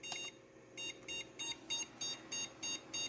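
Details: Prosys S478 socket 478 PC found in a hallway, at power-on: a high beep repeating about three times a second, stopping after a while; it fails to boot, cause unknown, and runs again after percussive maintenance.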